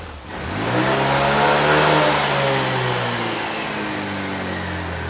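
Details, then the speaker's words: Budget 180cc bore-up Honda Vario scooter after ECU altitude mode changed from 1 to 2, leaning AFR from about 11–12. Revs climb, then sag and waver at full throttle. Too lean, with a slight hesitation: lean mixture hesitation. "Pada saat gaspolnya dia terlalu irit. Jadi ada jedanya sedikit ya."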